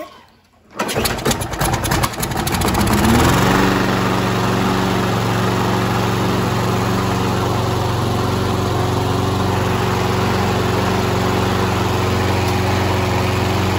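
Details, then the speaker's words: Free Troy-Bilt self-propelled mower, Briggs & Stratton 7.25EX 190cc, started with starting fluid, poor air filter: cranks and catches after a second, smooth steady idle; engine runs fine, self-propel drive broken. "well the engine runs the self-propel doesn't work"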